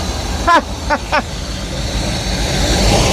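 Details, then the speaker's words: Free boat engine, cylinders freed with oil, run with water hooked up; catches after a few cranking bursts and settles into a steady, rough-edged run, smoking oil from the dumped oil, alternator belt flopping; running on its own. "Look at that. I mean, there's definitely a lot of oil burnage, but it's running."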